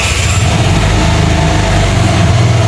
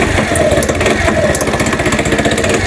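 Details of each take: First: New-body fuel-injected Cappuccino 50 scooter after repair, having been road-tested over two days: steady even single-cylinder beat, smooth rev, no stumble, cut-out or fault light, winds down cleanly; normal running. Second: New-body fuel-injected Cappuccino 50 scooter after moving the pickup sensor away from the magneto so it no longer rubs: fast uneven pulsing rattle over ragged idle with irregular knocks, engine smoking; loose flywheel key.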